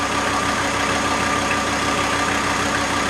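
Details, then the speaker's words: VW T4 AAB diesel van, about 250 km after rebuild, warm idle with driving lights and fan loading the generator, dropping to about 775 rpm: even clatter, faint constant whine, no hunting; normal idle under load. "And when I put the load to the generator, it drops. So now we have a typical load. We have driving lights and a fan."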